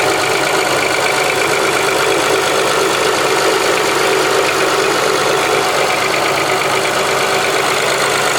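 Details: 2005 Honda Accord V6 at idle: bright, busy idle with a light, fast ticking across the top end and no deep knock. Ticking at idle; owner unsure whether it is piston slap, valve tick or injector clicking.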